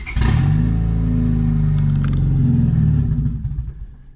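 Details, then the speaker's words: 1999 Honda Civic turbo D16Y8 after new thermostat, with new spark plugs gapped to 0.028: engine catches, runs roughly about three seconds, then slows and dies; won't stay running. Plugs didn't help; owner suspects fuel pump, main relay ruled out. "The car does not stay running, as you can tell in the video."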